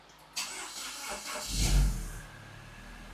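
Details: Second-gen MINI Cooper (N14/N18) after timing chain and water pump work, pre-oiled, battery thought to be dead: short crank catches quickly into a quiet, even idle with no knocks or rattles; healthy first start.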